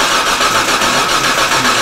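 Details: 2007 Hyundai Santa Fe 2.7L no-start, cranked while ignition coil is scoped: steady fast starter churning with even compression beats, never catches; spark confirmed present.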